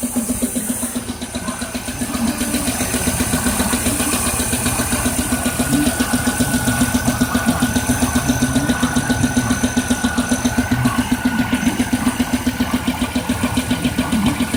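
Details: 2002 Pontiac Firebird 3800 Series II V6 idling with a steady even knock, about three to four beats a second, over engine hum; owner unsure whether rod bearing, lifter or piston.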